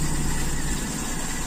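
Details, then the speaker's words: Toyota Kijang Super carburetor engine after fixing air leaks causing unstable idle: low, even hum, somewhat rough just after start, now fairly steady at idle. "ya lebih stabil kurang"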